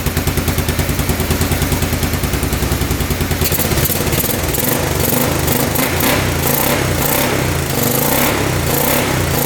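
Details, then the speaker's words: 1986 Honda Fourtrax 350 4x4 ATV, sat neglected for years, first start: single-cylinder thumps evenly at idle, revs up and holds cleanly, no ticking or knocking, not smoking, probably burning off penetrating oil put down cylinder; normal running. "he's burning off all that uh I put some penetrating oil down the cylinder it's probably still burning that off but man that sounds really good sounds really good it's not smoking anything off the back here"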